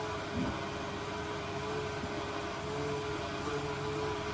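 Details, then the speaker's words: Old boat bilge pump in the galley main bilge, temporarily wired and run by hand because its auto float has failed, possibly damaged: a steady motor hum with a faint constant whine and no stutter or grinding. It works despite gunk that may be partly blocking it. "It does work. It's not in great condition, but it does work."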